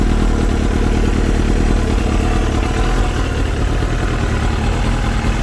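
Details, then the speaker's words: Kawasaki ZX7R with Six Sigma jet kit, Craigslist bike after prior botched jet-kit install, cold start on a 75-degree day; deep even idle burble holding on its own without hunting or stalling; normal idle. "Might idle on its own. Yeah, it'll idle on its own."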